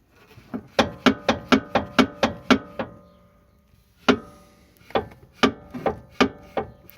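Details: VW Polo 1.4 16v: sharp, hollow knocks about four a second from front suspension, pausing then resuming unevenly; defective front stabilizer bar rubbers. Front suspension knock.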